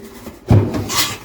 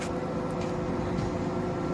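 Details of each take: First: Samsung WD11M4453JW 11 kg washer-dryer: two dull low thumps with a scraping rub between them as the very loose drum is rocked by hand; drum mountings worn through at three points. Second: Samsung WD11M4453JW 11 kg washer-dryer after repairing a loose drum: spinning with clothes inside, steady even motor hum with a faint tone, no knocking or banging; working normally.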